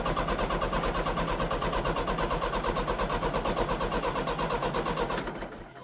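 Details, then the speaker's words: Leyland tractor, long unserviced, starter cranking steadily about three compressions a second for five seconds, never catching; no fuel found at the injectors, and a dead battery followed. "at least it's nice and warm up under here yeah we got no fuel at the injectors"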